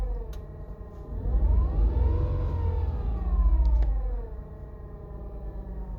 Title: 118i clutch noise when pedal pressed at 43,000 miles